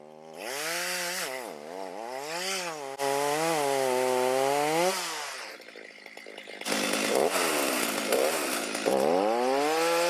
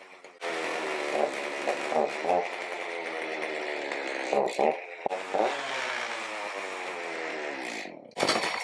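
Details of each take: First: Stihl MS310 chainsaw on a cold start after a no-start fix needing no parts and rakers lowered: revs up cleanly, pitch rising and falling smoothly with throttle, then bites steadily into wood; normal running and cutting. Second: Stihl MS310 chainsaw, no-start after storage, cold start on full choke then one click up, without chain or load: fires quickly and bar oils, but runs with a wandering, uneven buzz and stumbles; carburetor needs adjustment.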